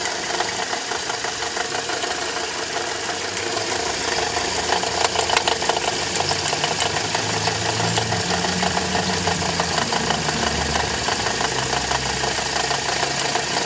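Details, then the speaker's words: Toyota Corolla E150 at idle: uneven rattling knock about three times a second; owner first suspected the water pump, but loosening the alternator belt showed a broken alternator overrunning clutch pulley with heavy play. "в общем услышал стук бряк похожие такое было когда помпа сломалась вот сейчас думал что помпа разобрал ослабил ремень генератора вот увидим люфт на обгонные муфты"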